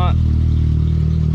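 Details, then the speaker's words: 2002 Pontiac Sunfire with 2.2L engine, just fitted with a new MagnaFlow muffler: deep, steady exhaust drone at low revs with a faint unevenness; owner suspects an injector not pulsing right, fuel cleaner added. Slightly uneven running. "this one's a little more deep as you can hear and it sounds like that injector is just not pulsating just right"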